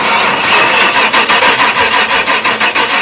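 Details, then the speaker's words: 1997 Ford F-250 with 460 gasoline V8, started with throttle held slightly open after cleaning terminals; cranking catches into a rough but sustained run; bad ground cable at the flat band blamed for earlier no-start. "Your ground cable going into the flat band. That's your problem."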